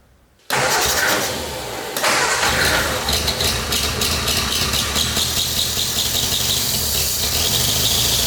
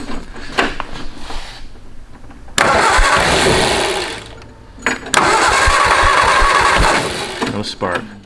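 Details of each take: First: 1970s hot-rod canoe built on 1953 Ford Anglia, 47 years unused, after carb clean/rebuild and new gasket: catches after short crank, steady busy run, no knock or stumble; won't idle, exhaust suspected plugged; normal running. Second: Canoe hot rod built from a 1953 Ford Anglia, not run in about 47 years: two bursts of steady cranking that never catch or fire. Little or no spark at first; needs cleaning up.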